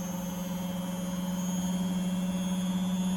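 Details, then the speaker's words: Beko WTG620M2W slimline washing machine, empty drum speeding up during spin after plug fitted: smooth steady motor hum climbing gently, no knocking or scraping, doing okay. Normal spin. "i could run on the cotton 90 and see if it gets any dirtier it's speeding up it's doing okay"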